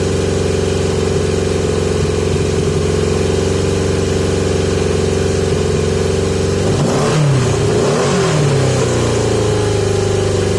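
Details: 1980 Yamaha XJ650 four-cylinder on pod filters. Fast, steady idle, then a blip, and the idle hangs high before settling. High idle; owner suspects too much or too little air, and it runs better with more restriction.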